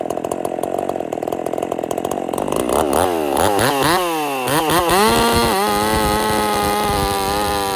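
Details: Husqvarna 50 Partner 5000 hybrid race chainsaw, first cuts after rebuild with modifications (tapered piston machined); crackly two-stroke revs sharply, then holds a strong steady scream under load in oversized wood for the bar; cuts healthy.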